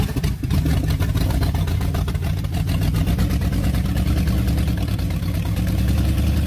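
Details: Old recovered car on first start attempt: loud, lumpy running with uneven low thumps and pops over the exhaust; engine popping and running rough, carburetor thought to need work, wasps possibly in the exhaust pipe.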